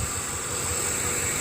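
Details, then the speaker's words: Ford Explorer 4.6 V8 after fixing P0308 cylinder eight misfire: steady, even low idle rumble with constant high hiss, no stumble; engine running smoothly. "but I'm happy it's nice and smooth all I got to do now is go ahead and stick my bolt back in here and uh wrap it up and so that engine is running great"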